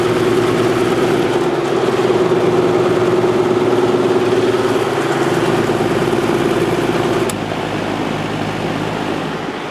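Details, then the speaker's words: Vintage Lakewood Penney's window fan on high after switch replacement, motor cleaning and oiling: constant hum with steady mid-pitched tone, no scraping or ticking; little difference on low; normal running. "not much of a difference on low at all but uh it runs great"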